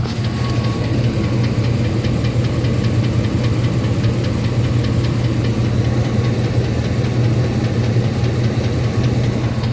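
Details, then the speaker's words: 2004 Ford F-150 XLT 4.6 L Triton V8 at idle: deep steady rumble with a light, fairly regular ticking on top, usually quiet but occasionally a bit louder; source unknown, owner unsure if normal. "2004 F-150 XLT Triton 4.6 liter. Have it ticking, I'm not too sure what it's from."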